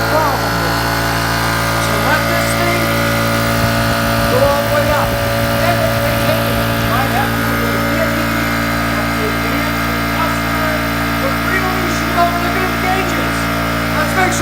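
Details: Used air compressor tested by bleeding air through relief valve so pressure switch restarts it; steady loud motor drone and even pump hum while refilling tank, no knocks or squeals; normal running.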